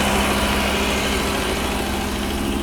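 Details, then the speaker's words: Pre-1990 Audi 90 after engine repair: steady fast flat idle hum that never drops to a normal low idle; the intermittent idle control motor has only 0.3 volts. "The idle motor isn't working again The idle motor has no voltage 0.3 volts is not normal"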